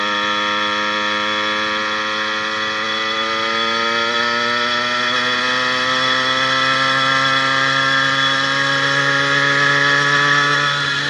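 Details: 80cc two-stroke motorized bicycle on a ride after fitting a new piston, rings not yet broken in, and an upgraded needle wrist pin bearing: smooth steady tone rising with road speed, previous top-end pinging gone; pulls hills at 26–28 mph.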